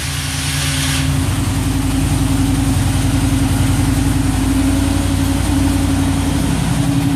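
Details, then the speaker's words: 1987 Chevrolet C10 R10 truck with throttle-body TBI engine, after sitting a few days: catches and settles into a steady, deep, even throaty idle with no knocks or misses; normal idle. "Real nice throaty sound to it."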